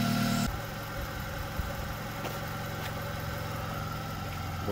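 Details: 1997 Honda Accord after replacing a burnt exhaust header flange gasket to fix an exhaust leak, warming up: smooth, even idle hum with steady pulses and no ticking or puffing at the manifold; normal idle.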